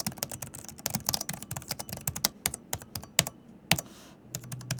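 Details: Alienware Area-51 16/18-inch gaming laptop mechanical keyboard: fast typing with crisp clacks, each carrying a sharp, high-pitched metallic ping from the switch mechanism, even though the keys themselves are stable and well built.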